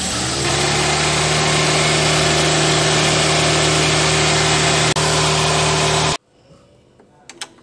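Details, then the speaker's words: Car radiator/AC cooling fan switched on: loud steady droning growl from the engine bay, cut off abruptly; earlier similar case caused by dried lubricant on the fan motor shaft. "seperti itu suara ngorok dari kipas AC ketika dinyalakan"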